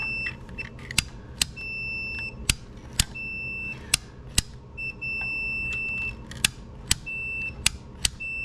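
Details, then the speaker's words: DeWalt DW703 Type 1 compound miter saw that won't start, multimeter continuity test on the power switch: short sharp beeps and a steady tone showing the normally closed contact path top to bottom has continuity. "okay so this is a normally closed circuit from the top to the bottom"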